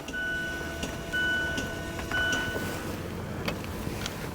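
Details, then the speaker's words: 2017 Mazda 3 electronic parking brake put into service mode (accelerator floored, switch pushed and held, pressed three times) before rear caliper replacement: faint steady motor whir with thin whine as rear actuator retracts. "Put my foot on the gas pedal all the way down. I'm going to push this down and hold it. Push this three times. And I hear some stuff moving."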